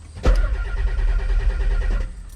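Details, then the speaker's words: Turbo Nissan 300ZX (Z32): the starter cranks steadily for about two seconds but it never catches, and there is no fuel pump hum at key-on. Owner suspects the ECU or something else. Crank, no start. "Cuz I don't hear the pump kicking on at all. Usually, you can hear the thing hum when you turn the key, which we are not hearing whatsoever."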